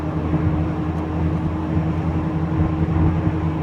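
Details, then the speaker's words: Mk3 VW Golf driving at about 50-55; steady low pulsating whining growl over road noise from a worn wheel bearing, before replacement. "I think there's a sort of whining pulsating pulsating whining low vibration and I think it's coming from that that really large there"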